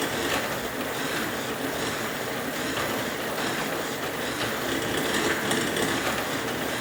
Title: Merax Elliptical Bike very noisy after 1 week - video2